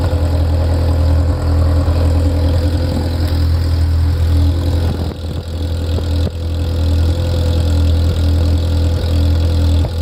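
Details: Ferrari F355 engine after the front-of-engine noise heard from tens of seconds after start has stopped: deep, steady idle with even firing and no knocking or ticking; idle settled and stable.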